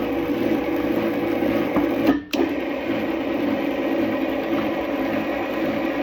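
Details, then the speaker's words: Power Plus motor chain drive after tightening: with the motor aligned, the chain slack removed and the sprockets aligned, it gives a steady, even whir with no clunking; earlier clunking came from misaligned sprockets. "just to recap trial and error process tightening and loosening these bolts to align the motor making sure you get all the slack out of the chain and getting these sprockets aligned until everything runs smooth"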